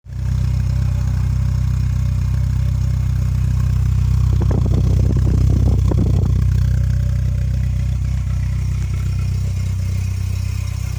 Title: mk2 GTI bad alternator bearing